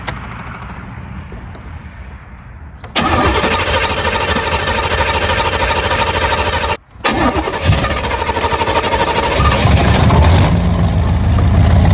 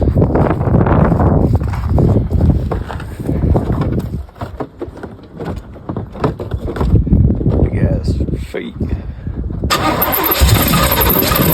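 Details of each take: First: 1984 Corvette C4 V8 with a Holley 1460 carburetor, cold, choke on, while setting ignition timing at zero: runs with an uneven, choppy beat about three per second; running rough. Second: 1984 Corvette C4 V8, Holley 1460 carburetor rejetted from 66 to 44 jets, restarted on a cold day: deep burble, a little lumpy while still cold; healthy overall, needs retuning after the jet change.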